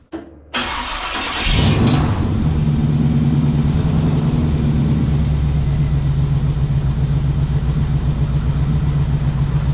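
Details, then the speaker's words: 1969 Camaro rat rod with newly fitted exhaust pipe: catches after a couple of seconds then settles into a deep steady even idle burble; sounds great, normal. "yeah that's awesome that sounds great"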